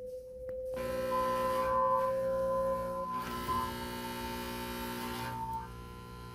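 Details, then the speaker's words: Samsung front-load washer that will not drain, spin or start, flashing error 36: a steady electrical hum with a clear tone and no pumping or water flow. The drain pump is suspected; unconfirmed. "so what we see here and because it was making the noise 90% of the time is to drain problem so I want you to hear this noise and I want you to do this safely as we determine where the problem is"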